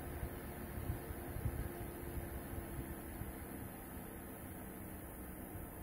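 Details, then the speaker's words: Space heater drawing 1100 W slowed by AC phase-chopping voltage regulator to 900 W: softer, slower fan rush with electrical buzzing from the regulator. "so now i will start twisting the knob as you can hear uh buzzing sounds started from this little gadget and the fan is spinning slower and power consumption went down to 900 watts"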